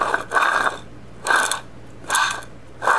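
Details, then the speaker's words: 2002 BMW K1200RS final drive ball bearing, removed and spun by hand: rough, gritty grinding in bursts about once a second; the bearing has failed and needs replacement. "before I do anything with this I want you to hear what this bearing sounds like spinning in the"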